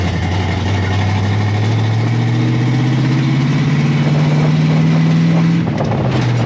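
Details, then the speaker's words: 1957 Chevy V8 on its first short drive in 31 years, recorded on a helmet cam on a cold day with no glass fitted: a smooth pull with pitch rising evenly over wind noise; it did not stall or backfire and ran well. "did not stall it did not backfire it actually ran pretty well"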